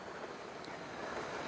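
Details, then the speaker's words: Clock radio with its FM antenna wire cut off gives a steady even hiss and receives no station. "We're not getting anything on the radio. I can hear it hissing."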